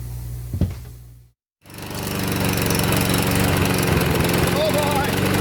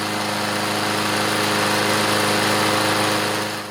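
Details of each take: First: Craftsman push mower, Briggs OHV engine, previously worked on by a mechanic: it screams at a steady, far-too-high speed before shutting down. Revving way too high and hard to start; water in the gas was reported. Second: Craftsman push mower with newer Briggs OHV engine, test run on a cold, windy day before service: a steady high-pitched drone with no misses or stumbles. Running normally on its own. Pull cable is getting hard to pull.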